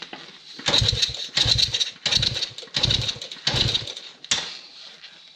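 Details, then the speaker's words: Old estate CT90 being revived: repeated kicks, each a short chuffing burst about every 0.7 seconds, never catching. The owner considers ether, cleaning the points or a new spark plug. Kick-start cranking, fails to start; cause not confirmed. "Maybe it needs a little ether."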